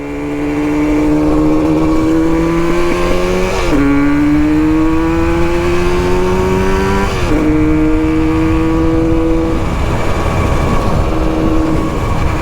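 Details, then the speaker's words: Yamaha RD350 (R5) two-stroke cafe racer revs rise and sag unevenly in surges with stumbles, then cuts out; rider suspects the fuel isn't fully mixed yet; rough running. "Uh-oh. She cut out. Maybe the fuel isn't quite mixed up yet."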